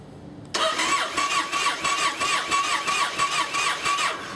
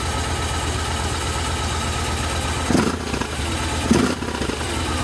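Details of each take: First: Yamaha Raider/Roadliner/Stratoliner V-twin, hard start: starter cranks in uneven churning pulses without catching, and idle is rough once running. The cause is a cracked fuel pump housing starving the engine of fuel. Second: 2007 Yamaha Roadliner V-twin after cracked fuel pump housing repair: brief crank, starts cleanly and settles into a steady, even idle with no stumbling; normal start and idle.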